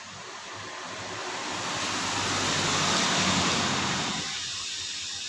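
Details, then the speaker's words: Honda CBR150R with overheating complaint, fan connector's two copper wires bridged with ignition off to test the radiator fan directly: steady airy rush that swells then eases, no rattle or scrape; fan runs freely. "Jika kedua kabel tembaga ini dihubungkan tanpa kunci kontak menyala, kipas biasanya akan langsung"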